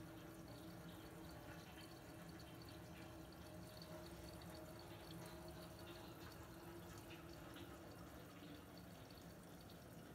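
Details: Miele WKR 771 WPS TwinDos washer during its roughly eight-minute flush cycle: a steady low pump hum with water running through and a normal ticking from the dosing pump drawing in water.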